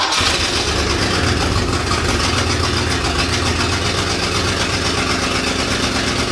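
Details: 1966 Lincoln Continental, garage stored and unregistered about 9 years, first start after storage: short crank, backfire, then loud ragged idle with smoke from tailpipes; likely needs distributor cap and plug wires.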